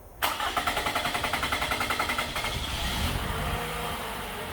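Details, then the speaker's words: 2014 Toyota Camry four-cylinder with P0171 lean code and long crank, fuel pressure not holding after shutoff: starter churns about two seconds before catching near 20 psi, idling at 22–24 psi, likely spec near 40; long crank hard start, low fuel pressure. "all right you see how long it took to start and it started once it got up to around i don't know 20 psi roughly and now that's only like 22 23 24 something in that range that's definitely not enough fuel pressure"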